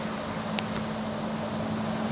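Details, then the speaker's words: 377 Mopar W2 stroker V8, Keith Black block, aluminum heads, solid roller cam, about 13.5–14:1 compression, on E85, first run. Deep, steady, even drone with no misses or knocks; the new ATM carburetor still has minor issues. "This sounds good. This sounds so good. That big roller cam, solid roller cam, near 14-to-1 compression, running on E85 corn power."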